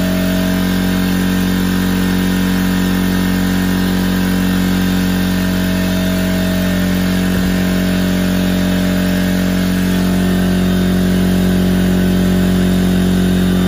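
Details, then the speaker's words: McGraw 21-gallon oil-free air compressor (part 64858, 1.5 HP universal motor, 4.0 SCFM @ 90 PSI) started to fill the tank after air filter cleaning: loud steady motor hum with even fast pumping chatter, constant as tank fills; normal run. "And now I'm gonna start it up and let it get filled up, and we'll go from there."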